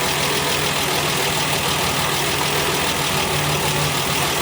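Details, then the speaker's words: 1968 MGC with SU HS6 carburetors during tuning: steady idle with even exhaust note, speed rising slightly then settling back, very hard to tell; mixture sounds correctly set, normal idle. "it slightly goes up and then goes back down. Very hard to tell."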